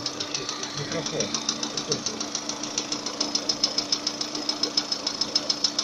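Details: Lada Kalina 11174 after head rebuild (all valves replaced after a loose timing belt bent them), new valve-relief pistons, rings, bronze small-end bushings, 65k km. Light, sharp metallic ticking about three per second over idle appears once it reaches 90, at idle and under load, apparently cylinder 4. Cause unknown.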